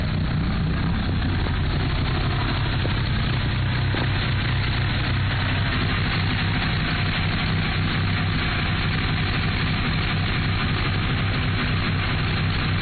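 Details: Mitsubishi Evo III at idle: deep ragged, unsettled rough idle with no clean rhythm; bent valves suspected, not confirmed.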